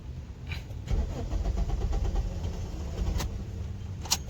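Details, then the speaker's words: Suzuki SX4 that sat 3–4 months, starts fine on CNG; on petrol a long churning crank barely catches, stumbles, stalls and misfires, won't rev past about 3000 rpm; hard starting. "सकते हैं start नहीं हो रहा है ये start हुआ बंद हो गया स्टार्ट हुआ अभी गाड़ी मिशिंग कर रहा है"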